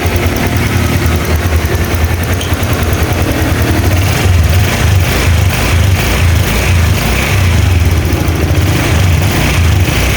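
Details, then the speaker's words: Old Honda Vario 125 LED scooter after repair: steady even low idle putter, no knocking or rough tapping; engine now smooth and cool, radiator shows no bubbles (no head gasket leak). "Untuk suara mesinnya sudah halus, kita cek di bagian radiator, usahakan itu nggak ada buih ya,"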